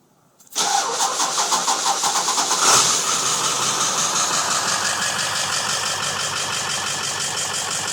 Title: 2001 Ford F-350 Powerstroke (7.3 Turbo Diesel) Hard Start.